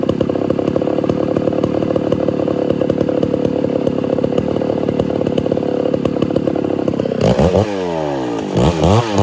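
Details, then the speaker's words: Homelite Super XL-925 82cc vintage two-stroke chainsaw, governor blocked off, dull chain with shallow rakers: high flat crackly scream, then uneven blips and revs; too lean on low-speed circuit, richened about a quarter turn. "i had to go richer on the low like a decent amount like almost probably a quarter turn maybe a little more it was just too lean"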